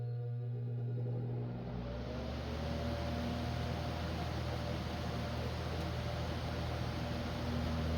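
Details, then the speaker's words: ILG Model 123 fan, 1/20 hp GE unit-bearing motor, after servicing with revarnished windings and fresh oil, on a full line-voltage test: smooth, steady hum and clean airflow, no loud buzzing at start and no drumming; normal running. "All right, I would say that sounds a lot better than it did before. No crazy loud buzzing when it started, just the natural harmonics of the motor. And um I'm not hearing any drumming sound coming from it."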